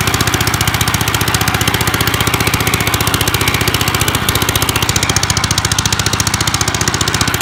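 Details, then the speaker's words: 1955 Gravely Model L single-cylinder, first start after five years, mid throttle, neutral, running half-choked: a harsh, unmuffled bark at about 220 pulses a minute from the broken-off exhaust. Owner thinks the carb probably needs cleaning. "it's gonna be loud because of this exhaust issue but is it snapped off or what yeah the ear is broken off the threads there"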